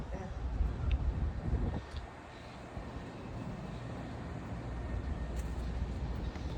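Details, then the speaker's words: Trane Precedent rooftop unit EBM blower motor with worn bearings and visible shaft slop: heavy, uneven low rumble with a faint steady whine; motor was replaced. "So, here's your wonderful bearings in your EBM motor that's making all this noise. Look at all that slop."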